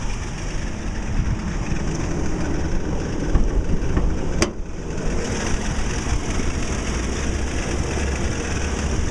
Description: 2008 Toyota Tacoma Grinding Noise due to a failing belt tensioner.